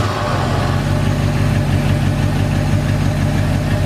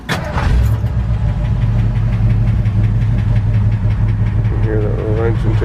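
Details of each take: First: 1981 Ford F100 V8 after adjusting a rattling rocker (pushrod zero lash plus half turn): smooth steady idle with even low rumble, only a tiny faint tick remaining; normal idle, valvetrain essentially quiet. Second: 1981 Ford F-100 with 302 two-valve V8, automatic, about 104,000 miles, at idle: light, quick, steady ticking over the V8 idle.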